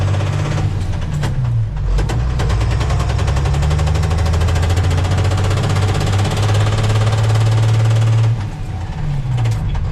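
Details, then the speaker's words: 1990 International 4700 dump truck, Spicer ES42-5D 5-speed, in a low gear: heavy, uneven knocking over a deep diesel drone that disappears in fifth gear regardless of the 2-speed rear; caused by missing teeth on the countershaft drive gear. "That knock sounds pretty bad, but watch. I'll put it in fifth gear and it'll completely disappear."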